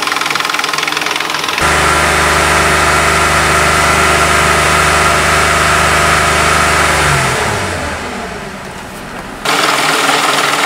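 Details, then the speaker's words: Engine after running a little over three minutes and a few seconds revved to 3000 rpm to purge air: fast, light, regular clicking persists over the steady hum; hydraulic lifter tick from trapped air. "I got to go rev it up to 3000 rpm for a few seconds to hopefully first the rest of the air out of there can you can still hear the clicking in there"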